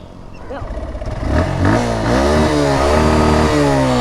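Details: Suzuki Gixxer SF left long unserviced and uncleaned, oil not changed, carbon buildup: after a push start, uneven chuffing catches and climbs into revs with a loose rattle over the exhaust; rough rattly running, cause suspected.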